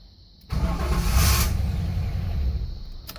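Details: 1983 Buick LeSabre wagon with LT1 swap, first start: engine cranks and catches with a low rumble for about three seconds, then fades and keeps shutting off. Owner first suspected the VATS bypass, then low fuel on a near-dry tank; a small module was later found faulty.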